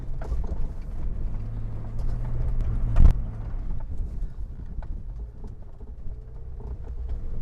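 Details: 24-valve engine vehicle driven at about 40 km/h on unpaved ground to check the chassis; low steady tyre rumble with one dull bump, no clunks, knocks or rattles; no chassis noise, suspension healthy.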